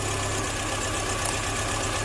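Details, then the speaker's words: 2005 MINI Cooper, engine-running test with one injector unplugged: petrol engine idles unevenly with a rhythmic puff-puff stumble from that dead cylinder, as a clogged injector would also cause. "You hear how it's missing. It's going puff, puff, puff, puff."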